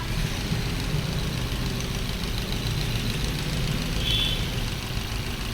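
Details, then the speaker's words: Maruti Swift BS6 with CNG fitted, check-engine and ABS lights on, at idle before repair: uneven, lumpy, ragged idle, severe missing; misfire found from faulty ignition coils, two cylinders not working. "यह missing miss fire की problem है दोस्तों और इसके अंदर chuckle भी आया हुआ था"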